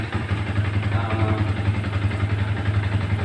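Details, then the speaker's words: Yamaha Vixion after fixing flickering indicator lamp: steady even low putter at idle, no stumbles; lamp now lights only once running; engine idling normally. "nah ini harusnya memang kayak gini motor hidup lampu baru menyala tidak seperti tadi kontak on lampu nyala memang kayak gitu"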